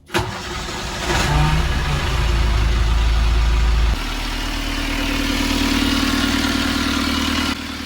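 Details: Perkins marine diesel on sailboat after fuel injector pump timing work: cranks, catches quickly and settles into a steady, even, knock-free run with no misses or stumbles; healthy.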